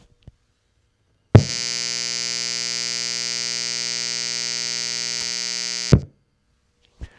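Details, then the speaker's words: Device with its grounding pin snipped off, powered from the Anker SOLIX F3000's AC inverter: loud, steady buzzing hum starts at power-up and holds flat until switched off, audibly noisier than grid power. Inverter electrical noise. "All right. Definitely an audible difference. So, I' I've definitely heard noisier AC inverters than that, but that is something that might give me pause to use something like this as a remote power source for a PA system or a guitar amp or a ham radio or something like that."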